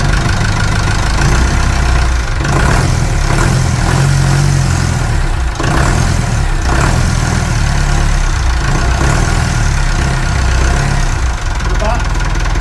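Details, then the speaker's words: Perkins 4236 marine diesel in a sunk narrowboat, idling cold just after first startup; steady low idle, even firing, no knocks or misses, no leaks. Normal idle. "No leaks. Engine's still sweet. Pull it out. Just gently, yeah. Oh, that's still sweet, isn't it?"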